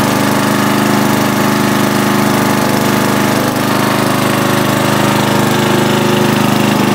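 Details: 40-year-old Briggs 11HP lawn tractor on its test run after an emergency field repair, shroud and hood refitted: the small single-cylinder engine runs steady and even at constant speed, with a regular pulse and no knocks or misses. Sounds healthy.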